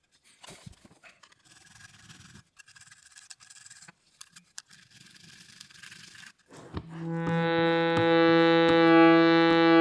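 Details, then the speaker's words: Shruti box after repeat filing of buzzing reeds, final test: after handling noise, steady clear drone with even overtones and no rattle; formerly buzzing reed now speaks cleanly. "the second buzzing read is now happy the third it's the happiest little route i've ever heard"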